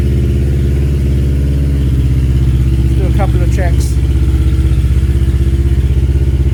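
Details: Kawasaki KLE 650 A7 auction bike idling in neutral before a short test ride: very loud, deep, blatting idle with an even pulse around four a second; the exhaust is missing its baffle and needs one fitted.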